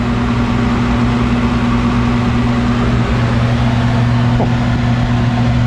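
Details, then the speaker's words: 1991 Snyder General furnace running after clearing a clogged pressure-switch port: a loud, steady drone with a rough hum underneath and no clean pitch; the blower runs but sounds strained, and a capacitor is suspected. "That does not sound happy. See if I can find a capacitor on that one, but it is running."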